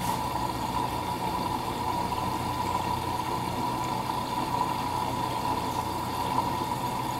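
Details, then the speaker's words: Midea HealthGuard Smart 13kg (MF200) washer on Cama e Banho cycle, white cotton load, glass measured about 51.8°C: steady water rush with low pump hum and faint motor drone, adding water for main wash, display at 1h16; normal fill. "51.8 deu agora pouco pessoal tá adicionando água agora para fazer a lavagem principal tá o display tá marcando 1 hora e"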